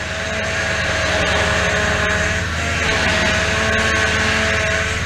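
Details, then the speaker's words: 2004 Toyota Tundra, 215k miles, just after new power steering pump install; steady high whine over idle without pitch change, air in the fluid making the new pump moan, expected to go quiet; banjo fitting wet. "at least they got power steering not happy about it eventually it'll get quiet"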